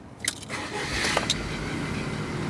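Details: Rover 25 with K-series engine after the cylinder three coil pack was swapped for one taken from another engine. It catches at once and settles into a steady, even run with no stumble or misfire, so the starting and running fault is resolved.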